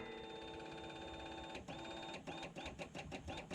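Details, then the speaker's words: 2013 Polaris Ranger 800 EFI after replacing the fuel pump for suspected low fuel pressure, key on: steady soft whir about 1.5 seconds then uneven pulsing, priming cleanly without grinding; new pump sounds much better. "oh that fuel pump sounds much better"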